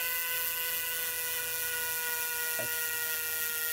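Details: Wahoo Kickr v2 trainer flywheel spun up after adding a counterweight and slackening the belt half a turn to fix high-speed vibration: steady high whine running evenly, only tiny vibrations left.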